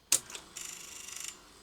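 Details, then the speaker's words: 1976 Philips N1502 VCR with tape stuck and keys not latching: sharp clack, then brief fast ticking whir stopping abruptly; unlacing mechanism stalls, owner suspects the top of the cassette shell is jamming the unload. "it's stuck on something I suspect the cassette shell itself judging by that noise I think the top of the cassette might be jamming the unload"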